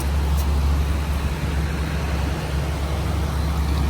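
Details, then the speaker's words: 2016 Lennox 3-ton air-conditioner condenser at a hotel, with a nice compressor sound and good airflow: steady low hum with an even drone and no rattles or knocks. Normal running. "2016 3-ton. Also looking good. So has a nice compressor sound. Really good airflow."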